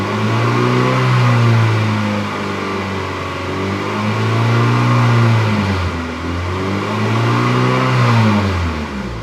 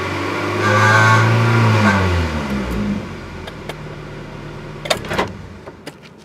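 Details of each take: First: 1997 Acura Integra GSR with aftermarket intake, after header flange gasket replaced and welded: clean rev rising and falling smoothly past 3,000–3,500 rpm with no rattle; normal revving, rattle fixed. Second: 1997 Acura Integra GSR: buzzy metallic rattle from about 3,000 to 3,500 rpm while revving, from the catalytic converter-to-header pipe joint; fixed with new flange gasket and welding.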